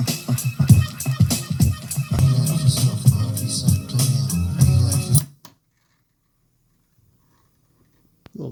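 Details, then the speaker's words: Panasonic RX-CW55L boombox, tape 2 play-only auto-reverse deck: the music is warbly, chopped and scratchy with uneven level, as if chewed. The tape is not damaged; this cheap newer type I tape plays fine on other decks, so the cause is unclear. "of course nothing recorded on the other side it kind of sounds like the tape is chewed up and mangled but it's not"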